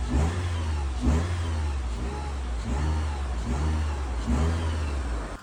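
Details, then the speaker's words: 2011 Mitsubishi Lancer crank-no-start, low compression on two cylinders from cylinder wash, flood mode cleared: engine runs steadily and is blipped about once a second, climbing cleanly and dropping back with no miss. "And I was confident at this point the vehicle's going to start and sure enough, it did."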